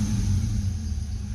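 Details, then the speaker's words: 1990 Ford Mustang GT 5.0 V8 after MSD coil upgrade: deep, lumpy idle rumble with an uneven beat, a cylinder still missing; traced to a wet, oil-fouled spark plug. "there she goes starter still got a miss dang it"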